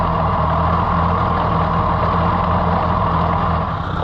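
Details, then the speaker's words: Case VAC four-cylinder tractor at idle after battery and wiring trouble; a steady low idle with an uneven, loping beat and occasional dropped strokes, so the owner says it still has a miss. "that's not too bad but it still I think could be better I know it's only a four cylinder so that's together still gotta miss him"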